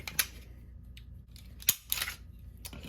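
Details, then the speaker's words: Broken-in Glock 17 slide racked for comparison with a squeaky P80 940 V2: sharp metallic clacks with no squeak between them, normal. "so I have this 17. that is almost fully broken in and she does not squeak"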